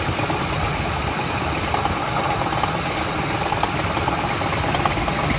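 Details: Ford F-150 Triton engine at idle: an even idle with a faint, irregular light rattle a bit over once a second; engine rattle at idle, cause unknown.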